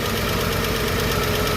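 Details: Chevrolet 235 Blueflame six that began ticking on a 10–15 mile drive: steady idle with a light, quick tick from the top end. Owner suspects one bad lifter.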